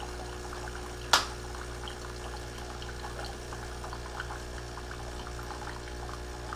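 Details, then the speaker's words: Keurig Rivo R500 cappuccino and latte system priming on its first run using the espresso lungo button: a steady low pump hum with water trickling and one sharp click near the start. Normal pump priming. "So it says to put a mug on the drip tray, press the espresso lungo button, which is this button here. We'll let that run."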